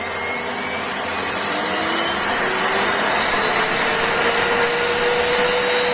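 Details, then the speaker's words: Vacuum cleaner that had stopped working, running after repair with its fault traced to the power cord. Steady high-pitched motor whine with even airflow rush and no stutter or rubbing; everything works normally. "Nhìn chung, mọi thứ hoạt động như bình thường."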